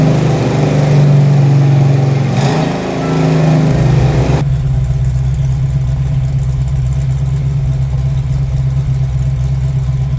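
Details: 1968 Mustang Fastback 351W, run after 25 years, after fitting missing torque converter-to-flexplate nuts: deep even V8 burble, rev blip then steady smooth idle — normal idle and revving.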